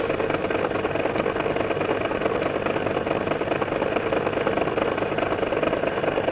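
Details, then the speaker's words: MORI MA-100 antenna rotator on the bench without its top housing: turns fairly fast but makes a weird, rough grinding whir with an uneven, lurching, jerky feel; owner thinks it may slow down under load. Cause not confirmed. "actually it's quite fast in a sense but a really weird sound that comes from it as you can hear as it rotates around and so we've got around here a jerky funny feel probably under under load it will be uh or quite down a bit"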